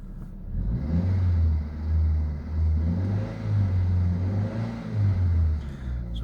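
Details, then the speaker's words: Ford Zetec engine in a Myers, after valve work, compared with earlier sound: steady low note rising and falling gently with light revs, no knocks or ticks; engine running normally, though an ABS light has newly appeared. "But other than that, the engine's working all right."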